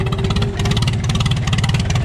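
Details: 1936 Farmall F20, hand-cranked, magneto ignition, carburetor flooding and needing a rebuild: the old engine thumps along at a slow, slightly uneven, hunting beat. Rough running; fuelling needs setting up.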